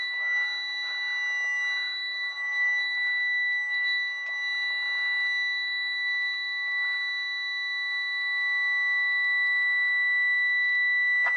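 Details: 2001 Freightliner FL70 CAT diesel, automatic, with broken speedometer and oil pressure gauge needing replacement: continuous high electronic tone holding through startup, faint engine underneath; dash warning buzzer, cause unknown.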